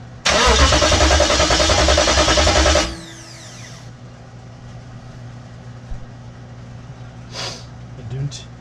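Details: Hemi swapped into a 1998-2003 Durango/Dakota, first start attempt during wiring and SKIM work: starter grinds about two and a half seconds, engine never catches; crank no start, owner says not getting fuel.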